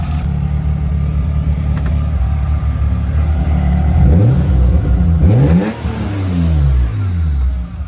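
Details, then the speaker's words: BMW E36 drift car run after standing a few years on 2–3 year old varnishy petrol, only new battery: engine revs up cleanly and settles back, smooth pitch with throttle, no knocks or misfires; running healthy. "I'm really surprised how um, how well it's running. I mean, I haven't even put any fresh fuel in it."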